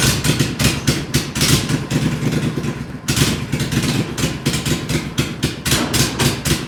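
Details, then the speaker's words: Max 2 twin-cylinder engine, bench-tested by a previous owner but not run for several months, fired right up without pulling the carb: steady putter with crisp throttle blips, no misses or knocks; healthy running, good torque. "I didn't pull the carb off that nothing it fired right up and man that those two cylinders sound pretty good it's got some torque"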